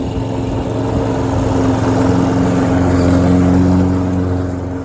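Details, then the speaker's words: Troy-Bilt self-propelled mower after carburetor needle seat repair, cutting grass: steady even drone holding pitch, no bogging or surging; mowed really well under load. "Hey, it mowed really good. It didn't hesitate or struggle or anything like that. It mowed really, really well."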